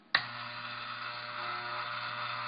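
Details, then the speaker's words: Hair trimmer (T-Outliner) switched on with its adjustment screw loosened about a quarter turn: steady hum with a harsh, louder, metallic buzzing rattle as the loose screw bounces against a piece; the fix is tightening it. "It sounds kind of like it sounds when there's a lot of hair in there, but it's a little louder, a little more metallic. So you can hear this screw kind of bouncing around against or getting hit by this piece here."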